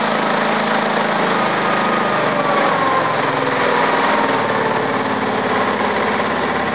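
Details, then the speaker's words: Honda 13 hp OHV single-cylinder tractor engine, valve cover just refitted after oil spilled onto the exhaust: fast, steady buzzing idle, even with no ticking or misses; it idles properly, though governor lever may need adjusting. "That's how it's supposed to idle. That's how it's supposed to idle."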